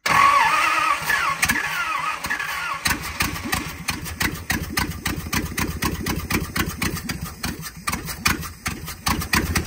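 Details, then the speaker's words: 1970 Dodge D300 wrecker catches after cranking with one exhaust manifold missing and black shooting out that side: a few seconds of loud, sharp, uneven raw barking, then it dies; owner suspects little fuel. "that sure sounds strange with one header on it and another exhaust manifold header gone and I'm seeing black and everything else shoot out of this side"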